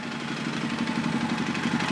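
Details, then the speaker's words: 2005 Suzuki King Quad 700 started warm, microphone moved around the engine: quick uneven tapping knock over the single-cylinder thump, worse on the clutch side and louder with revs; blue exhaust smoke; top or bottom end unknown until teardown; cause not confirmed. "seems to be a worse on the clutch side that you can hear it but it means you know as you rev it it gets worse also"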